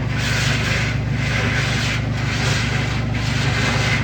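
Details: Washing machine makes a harsh rasping scrape rising and falling about once a second with each agitation stroke while washing; the drum is scraping against a pushed-in metal panel.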